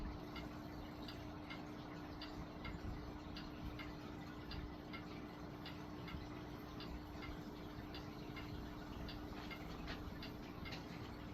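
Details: Vintage Lakewood Country Aire C-720-3 three-speed box fan with Westinghouse motor, on low speed: steady low hum with soft even blade ticking, no rattle or scrape; normal running.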